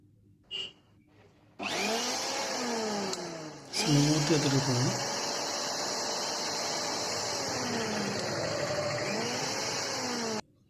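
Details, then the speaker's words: Mixer grinder motor after bush replacement and end-play adjustment (shaft was turning in worn bush); steady even high whirr with no rubbing or rattle, quieter than before, running normally. "ఒకసారి sound వినండి first sound కి sound కి difference"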